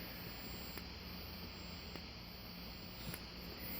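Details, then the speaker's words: Wheelock 117-candela fire alarm strobe gives a thin, steady high-pitched squeal with a soft click about every 1.2 seconds as it flashes. "making some kind of weird noise yes you can hear the high pitch squeal it's actually the strobe because it's acting like it's on its own alarm basically"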